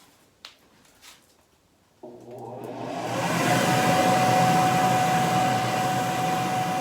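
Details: Homemade dust collector (blower on hat, cyclone, dust bin) with hose plugged in, vacuuming floor dust: spins up and settles to an even whine and airflow rush, no rattle or wobble; runs fine.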